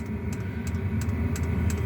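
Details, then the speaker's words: Diesel heater running on setting 3 of 10: a steady low combustion rumble with a soft, slow, even tick about three per second from the fuel dosing pump, which ticks faster at higher settings. Normal operation. "I mean, it cranks, and that little pump gets going tick, tick, tick, tick, tick, tick, tick. Where it's pumping fast. Right now, it's ticking kind of slow."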